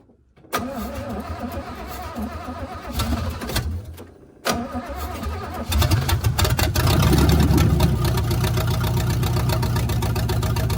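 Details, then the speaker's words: 1971 GMC truck V8, first start after installing block hugger headers: cranks, catches and settles into a lumpy idle with a steady skip. One plug was wet and not firing, so it seems to run on five cylinders; the owner suspects ignition. Misfire. "so looks like we're running on five cylinders which very well may be an ignition problem than it most likely is"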